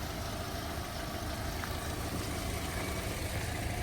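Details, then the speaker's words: 2008 Volkswagen Golf Plus 1.6 MPI petrol, 208,000 km, one owner, hood open, A/C compressor engaged: quiet, steady idle with even low hum, no stumbles or knocks, no smoke, not misfiring, no breather blow-by; normal idle. "Мотор працює тихо рівно не димить не троїть не сапунить"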